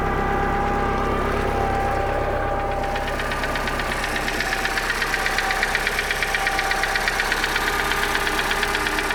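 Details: Bayliner boat inboard engine after a no-start fix, ignition timing found 180 degrees out from a pulled distributor and corrected: steady, even beat at a fast idle with no misses or knocks; running normally.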